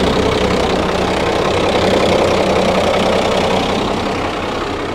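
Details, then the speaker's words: Old Fiat-Allis bulldozer, roughly D6/D7 size, six-cylinder diesel, probably not turbocharged, sat in the bush for years; after a full-throttle start with one injector line cracked, a steady rough but continuous idle clatter; normal idle. "how's that she's actually running how good is that after all these years of sitting"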